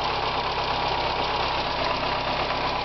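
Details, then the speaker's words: Car running for the first time in four years after pressure regulator, spark plugs and oil replaced: smooth steady idle, even hum, no knocks, misses or ticks; healthy, though it smoked earlier and the filler neck leaks fuel. "all right first time in four years this thing's running we're gonna go out and listen to it first time in four years this thing's running like a champ now"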